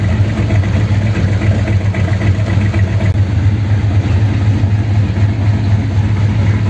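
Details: 1932 Ford sedan idling after a fix for a problem on the way home, with roughly a litre refilled, started to check for leaks: deep, steady low rumble with an even beat, no knocks or misses; smooth, healthy idle.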